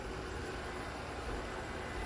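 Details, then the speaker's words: Shark robot vacuum UR1105ARUS (AV1010AE) after fixing an error 02 wheel fault by reseating the wheel latch: soft steady whirring hum with no clicking, grinding or stalling as it drives normally. "Yep, now it's gonna go. There we go. Success! Yeah, there it goes. Back to his regular business."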